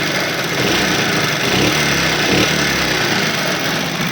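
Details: Small motorcycle engine revving briefly, hand over the muffled silencer, light clattery ticking over the engine note, before repair; tappet noise from loose valve clearance.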